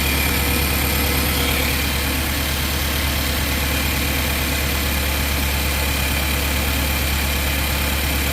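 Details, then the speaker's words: Engine idling during an ignition analyzer check of each coil: slightly uneven, lumpy beat about three pulses a second, one cylinder missing a little; a second cylinder reads a little rough, coil or plug suspected. "Same thing with that one as well. That cylinder's running a little rough."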